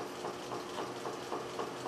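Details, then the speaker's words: General International 2x42 belt grinder refitted with salvaged 2 hp treadmill DC motor and variable-speed controller after original motor's start winding and capacitor failed, starting after short delay at minimum speed: quiet, slow, even pulsing about four times a second; healthy. "it's a small time delay and it'll start at minimum speed"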